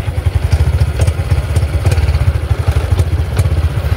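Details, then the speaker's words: Honda Supra X 125 FI (KYZ engine), 87 days old, idling after padding with 3M pads: even steady putter, crisp exhaust, no buzz or rattle from the front, normal idle. "Dan ini suaranya knalpotnya yo sangat renyah sekali, Guys."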